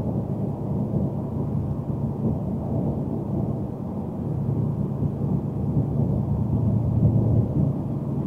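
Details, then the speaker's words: 2021+ Ford F-150 5.0 Coyote DOHC V8 cruising on four cylinders under cylinder deactivation: a low, even, deeper exhaust drone under road rumble; normal, returns to eight on throttle. "Hear that? It sounds like walls. Now I'm going push the throttle a little bit. Disappears."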